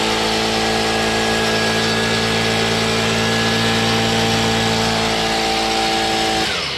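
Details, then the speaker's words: Stihl BG55 leaf blower two-stroke after new carburetor, fuel line and air filter base, moved from half choke to full run: high steady buzz without surging or sputtering, winding down cleanly; normal run. "now it's on full run it was half choked before how about that okay nice"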